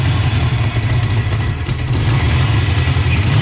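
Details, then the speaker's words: 1988 Mustang GT first start after Trick Flow top-end kit and mass air conversion, timing around 15-16 degrees, not staying running: loud, deep, lumpy idle with raspy puffing; exhaust leak around the header collector. "see we can track down this exhaust leak everything seems tight it's around that around that collector right there"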